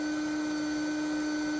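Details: Ryobi RYI1000 1800 W power station just after holding about 1,600 W microwave load, battery near 62%: loud steady whirring rush over a constant hum; cooling fan running hard under high load, normal.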